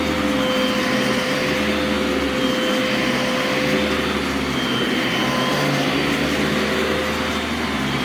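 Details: Brand-new Legacy-era high-filtration vacuum, brush shut off when upright, brief run: even steady motor roar, constant hum, no surging, rattles or scraping; runs smooth and healthy.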